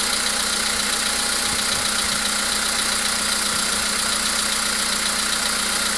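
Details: VW Polo Sedan with CFNA engine at idle: steady, fairly regular tapping about 2.5 times a second over a loud hissy idle; an unexplained engine knock whose cause is unclear.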